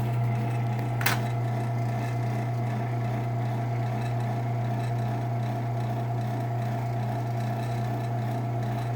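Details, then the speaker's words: Genie ProMax PMX500IC/B garage door opener, probably 2004, running on the bench with no rail after its blown capacitor was replaced; even low motor hum with faint steady whir and one light click, smooth and fairly quiet, D-shaft on top instead of sprocket. "so it's pretty quiet um it does have the d shaft on top instead of a normal sprocket there you go"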